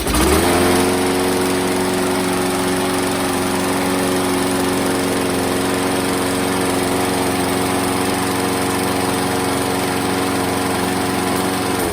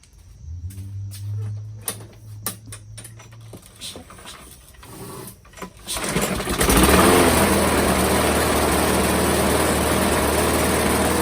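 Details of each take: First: Craftsman 625 series mower with a Briggs & Stratton engine that previously ran rough, after a new gasket and a flipped flywheel keyway: it catches, then holds a smooth, constant buzz with no stumbling. Normal running. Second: Craftsman 625 series mower, Briggs and Stratton engine, after replacing a broken plastic intake; a few pulls, then it runs unevenly, labouring; owner suspects timing or a bad seal. Flywheel key found misaligned.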